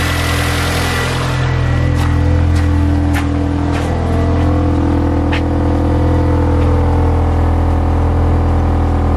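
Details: Mini Cooper idling after coolant bleed (overheating blamed on air lock): steady, even idle with deep low hum, no misfire; no head gasket symptoms found.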